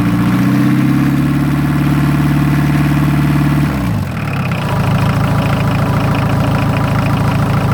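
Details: VW diesel truck, first start in a year on a ten-year-old battery after glow plugs and powering the fuel shut-off solenoid: cranks briefly, catches quickly and settles into an even diesel clatter at idle.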